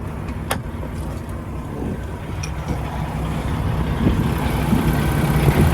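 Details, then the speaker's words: 2016 Peterbilt 579 with Paccar MX13 diesel and automatic transmission: steady low idle with even rumble, no knocks or misses, no smoke, little blow-by from the oil filler; healthy engine. "It appears to be running excellent. No unusual noises, no smoke out of the tailpipe, no blow by coming out of the oil filler cap."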